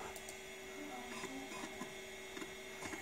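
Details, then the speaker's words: 20MB MiniScribe SCSI stepper-motor hard drive, after attempted stepper motor fix, previously would not boot: quiet ticking seeks with a short rising whir, like the head slamming to realign, drive keeps hunting; head seek noise at startup. "it's it's seeking probably for a few things but it does continue to make that sort of we noise which reminds me sort of a Commodores 1541 drive when it does it's sort of alignment thing"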